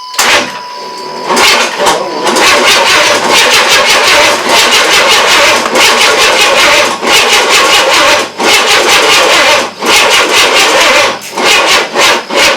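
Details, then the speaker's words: 1994 Chevy S10 with an early Vortec 4.3L, first crank after an engine install: long starter whirring with brief pauses, turning over repeatedly but never firing. A stuck starter is suspected, and the battery is running down. "oh it sounds like it wants to try again that is weird"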